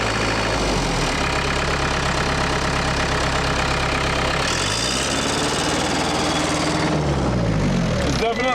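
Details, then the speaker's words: Case 430 skid steer, 4.5 FPT diesel, after the machine fell on its side: rising and falling revs with an uneven, stumbling beat; definitely missing, with a rough knock only when revved out. Owner doubts a mechanical cause since there's no knock at half throttle. "definitely missing. Definitely missing, and it's only got that knock when you're revved out."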